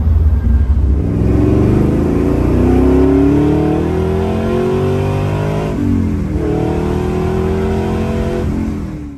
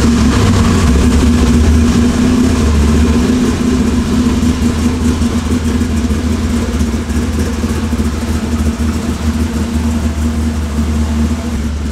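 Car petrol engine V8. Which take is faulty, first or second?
second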